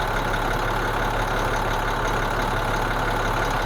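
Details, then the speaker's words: International DT466E diesel truck, cold start after the valves and injectors were calibrated (two injectors had been failing, causing a cold misfire): a steady, even low idle with no misfire or vibration. Normal idle after calibration. "Mira la diferencia este motor en frío, cómo él prende y funciona y cómo él se escucha. Ya no es vibración. Tranquilo, relax."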